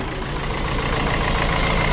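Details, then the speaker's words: Honda CR-V with crank-no-start and injector 3 open-circuit codes; with a suspect injector unplugged it starts, giving a rough, stumbling idle with one cylinder dead. Misfire from the unplugged injector; the injector is suspected faulty. "let's get on the key and give it a start and there we go I can't restart him but he's got a heavy misfire"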